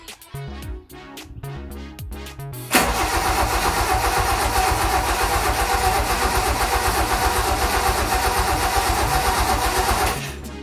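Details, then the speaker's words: Toyota Corolla KE55 with a 4K-C engine, cranking with no spark and no firing. It turns over evenly at about four beats a second with no catches, leaks or odd noises, sounding solid and healthy. "well that sounded pretty nice didn't it nice and solid i didn't hear any kind of weird leaks or anything"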